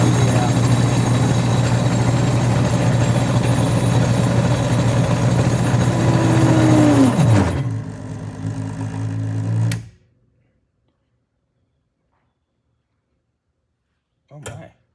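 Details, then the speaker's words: Bad alternator from a 1988 Chevrolet Corvette on an OTC Judge 2 bench tester: steady hum sags, winds down and cuts out as the breaker trips, line voltage dropping below 90, test failed; failing alternator overloading bench tester. "oh it tripped it it tripped the breaker that's crazy line voltage Dro below 90 test failed"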